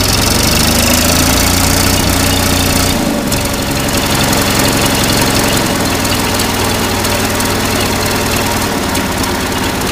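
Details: Oliver 770 Industrial tractor under restoration, started without ether after fuel pump run: rough loud idle with steady low chugging settling after a brief dip.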